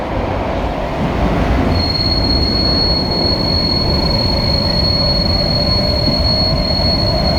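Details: SMRT KSF C151A train (cars 563/564), Changi Airport to Expo: rumbling, then a piercing steady wheel-on-rail screech as the train enters the tunnel, a known issue on some of these trains.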